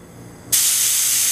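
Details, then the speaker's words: GE Monitor Top Type CA refrigerator float chamber (Form B CA) after recutting the needle valve seat, tested with blower air pressure; quiet while closed, then a sharp steady hiss as the float opens when flipped; normal float valve opening. "and the float opens. Closed. Open."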